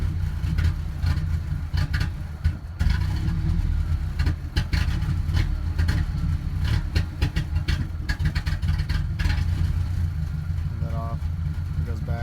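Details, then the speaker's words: 1998 Ford Ranger 4-cylinder with two plugs per cylinder, fuel filter just changed, idling then revving slightly after running 3–5 minutes: low, lumpy idle with uneven thumps and stumbles; owner suspects a misfire, unconfirmed; rough idle. "Sounds like a misfire, but I'm not sure."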